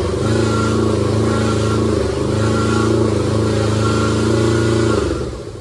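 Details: Kubota T1600 diesel mower, 530 hours, first start in years: small diesel runs even and steady, pitch rising cleanly when throttled up and settling back, no knocks or misses; later warmed up without overheating.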